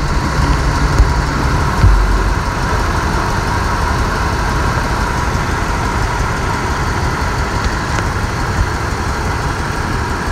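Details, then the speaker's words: 1999 Ford Expedition 4.6L V8 idling after the customer's own tune-up: the rumble stumbles about once a second, shaking the engine, with the check engine light on but no misfire code. Cylinder five misfired because its injector connector was not fully seated. "check the injector the plug was not plugged in the plug was in but not 100% in so after plugging in we have the injector minim cylinder number five fixed"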